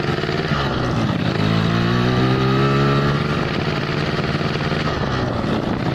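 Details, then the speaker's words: Yamaha RX King two-stroke with oversized pilot jet, too rich at low rpm: revs rise and fall unevenly with a burbling stutter (merebet) when revving and opening the throttle; rich low-speed misfire. "Hai kondisi atau gejala saat motor atau karburator pilotnya terlalu besar ya atau terlalu boros Tuban bakarnya di putaran bawah ya"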